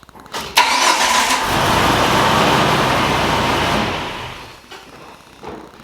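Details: Jeep TJ with a new starter after earlier clicking with no start, during wiring troubleshooting with the winch connected: short starter whir, then the engine catches promptly and runs evenly; clean normal start.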